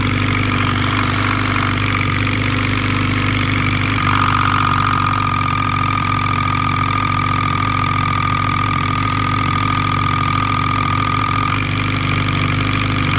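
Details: Suzuki B-King motorcycle idling with a fast metallic rattle over the beat and a thin whine. The cause was loose clutch basket bolts striking the casing, fixed by retightening with Loctite.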